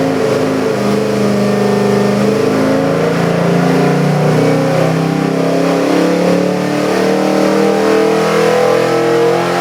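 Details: Custom Ford 302 V8 crate engine (~330 hp) on dyno for a '67 Mustang, Comp Cams hydraulic roller cam, Edelbrock heads, Holley 650 carb: deep bark with smooth rise and fall in revs, no knocks or misses; healthy fresh engine.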